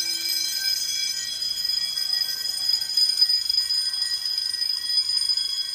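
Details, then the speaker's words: Home-built Fire-Lite MS-9200UD fire alarm system after a bedroom pull station is pulled: several bells ring continuously in a fast, even metallic clatter, with relay clicking from the Simplex SmartSync control module. Fire alarm bells in general alarm. "That's gonna leave ringing in my ears, no pun intended. As you can hear, though, you can hear the relay clicking coming from the Simplex Smart Sync Control Module."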